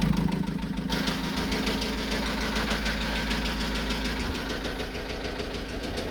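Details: Vivaro 1.9 diesel idling with a sharp, fairly regular knock about three times a second over the clatter; engine knock of unknown cause.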